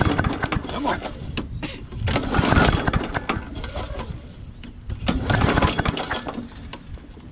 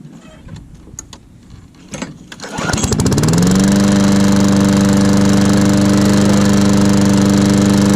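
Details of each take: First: Old Murray push mower, primed, in cold weather: repeated rasping pull-cord bursts with the engine coughing but never catching into a steady run; hard starting, cause not confirmed. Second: Old Murray push lawn mower, after several failed cold pulls: a few rope pulls, then it catches and settles into a steady, even run; normal start after a starting hiccup.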